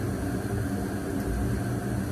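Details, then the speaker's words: Home gas furnace in heat mode, house reading 45°F, after ignition: a steady, even low burner roar holds its flame with no cutting out or sputtering; the flame sensor reads flame and the furnace runs normally. "there's the gas sensor over there is reading that we do have heat or sorry sensor is reading that we do have a flame"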